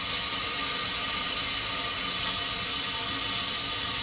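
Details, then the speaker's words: Abandoned 1971 Porsche 911 tire being inflated: steady, loud rushing hiss of air escaping through a roughly 3-inch hole in the top of the tire, seemingly passing out by the rim; tire won't hold air. "That sounds like it's just coming right out the other side of the rim."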